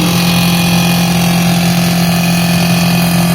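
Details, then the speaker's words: Brastemp Frost Free BRE57AB Inverter Duplex Ative two-door 443 L refrigerator, interior being disassembled: loud steady droning hum with a harsh buzzy edge; evaporator fan blocked by ice, close to seizing and burning out. "ela chegou num ponto que ela já tava querendo travar ela ela ia começar a travar agora e simplesmente trancar esse ventilador e acabava queimando Com certeza"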